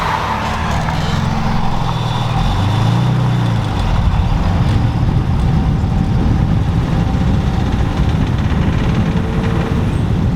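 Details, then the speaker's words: BMW E30 with an untuned eBay turbo, oil pressure peaking only 25 on the gauge, too little to reach the head: the engine rumbles at low speed with light busy chatter. Top-end valvetrain noise from low oil pressure. "you just peek that 25 definitely not enough to get up into the head so the noise is very apparent when you're going slow which is kind of embarrassing when you're pulling into like a parking lot or something"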